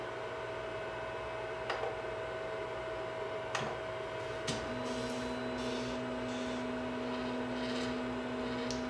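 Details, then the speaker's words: Anet E12 3D printer after fitting stepper dampers to all motors, Z-axis included, while homing: low, smooth, quiet stepper hum with faint ticks; a slight rattle comes from a side-firing fan with a broken tab. Normal quiet stepper motion. "okay that's it now to be honest I didn't even hear it now there is a little bit of rattle and that's because there's that forty forty ten or forty fifteen whatever it is that side firing fan has a little bit of a problem"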